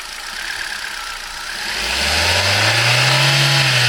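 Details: 2011 Turkish-built Hyundai i20 with 1.2 L Kappa gasoline engine at 45,000 km: idle with a faint hiss, then revs rise and a raspy whirring climbs with engine speed. Cause unknown. Engine noise.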